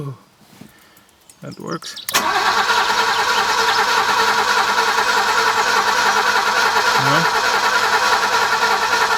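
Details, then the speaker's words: Alfa Romeo 90, first start attempt after 22 years standing; starter turns the engine over steadily at about three compression beats a second but it never fires; multimeter shows the fuel pump gets no power. "something is not right still find out so just checked with the multimeter and the pump doesn't appear to be getting any power"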